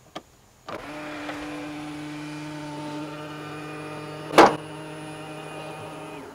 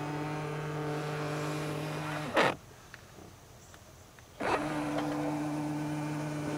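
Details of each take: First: Tesla Model X, about 7 weeks old, middle-row power seat moving to give rear access: smooth motor hum, then one loud clack right at the end of travel as the trim plate hits. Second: Tesla Model X, about seven weeks old, middle-row power seat that sometimes sticks and pops loudly at end of travel: here steady motor hum runs, stops cleanly, runs again with no snap or pop; seat operating normally.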